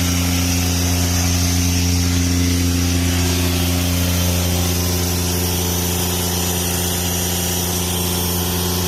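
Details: Airman PDS90 air compressor, 3-cylinder diesel, used import, mostly original; steady even-beat diesel drone with strong air hiss while discharging; gauges normal, strong air, running healthy.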